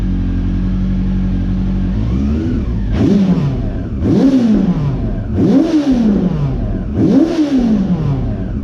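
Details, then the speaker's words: Honda CB400 V-Tec four-cylinder that sat for years, first run after fuel pump replacement; owner feared blocked injectors. Smooth idle then four clean even throttle blips, no popping or misfire; runs smoothly on all four cylinders. "really happy to hear that thing run i'm starting to get worried that the injectors might have been blocked and needed to be cleaned and stuff so the fact that it ran on all four and ran smooth and beautiful just makes me really happy"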